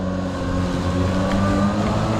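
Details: Kobalt 80V Max cordless lawn mower, used 4 years without issues, running on low speed setting while mowing: even motor hum with steady blade whir, no wobble or rattle; quieter than gas, noise mostly from blades; normal.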